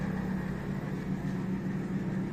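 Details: Washing machine left full during spin cycle: drain pump motor hums steady and even, with no gush of water and no hose blockage; the broken drain pump impeller lets it spin freely without draining.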